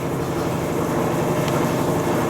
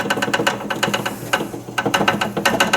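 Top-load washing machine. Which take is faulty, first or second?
second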